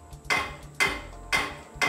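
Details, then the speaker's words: Royal Enfield rear brake pedal setting: sharp metallic clack each time the pedal is pressed, four in two seconds; pedal touching the underside of the exhaust header. "The issue is what? This pedal is touching bottom side of the header, number one."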